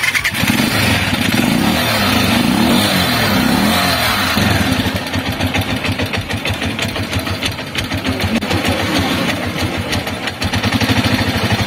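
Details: Motorcycle that died when accelerated and wouldn't move off, after carburettor needle reseated with clip at top and carb refitted: engine revs up and down cleanly, settles to even putter without stumbling; carburettor now responds properly.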